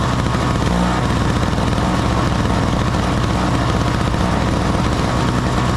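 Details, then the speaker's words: Small two-stroke snow blower on 50:1 mix that would not start because no fuel reached the carburetor (ran only on starting fluid); after cleaning the clogged jet at the carburetor bottom it holds a steady, even buzz with no stumbling: running normally. "we got it working baby oh all it was was that little uh jet down in the bottom uh very easy to clean out"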